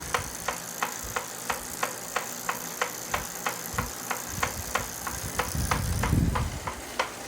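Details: Saris H3 smart trainer making sharp, regular knocks about three per second over a quiet drivetrain hum, in time with the flywheel; mechanical knock inside the trainer, later repaired by the manufacturer.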